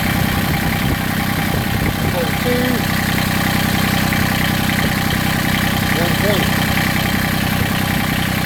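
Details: Massey Ferguson GC1710 sub-compact tractor-loader-backhoe diesel with an uneven, lumpy rough idle, heavy vibration and roughly half its power lost; cylinder temperatures checked by infrared; owner suspects a cylinder misfiring or dead.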